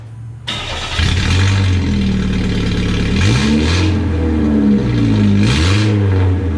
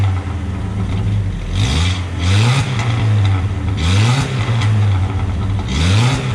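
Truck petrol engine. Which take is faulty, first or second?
first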